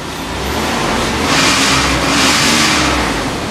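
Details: Wood-gas-powered truck with its carburetor replaced by a plastic cover and no gasoline, started by suction: engine revs cleanly twice and settles back without stumbling or popping; runs fine on wood gas.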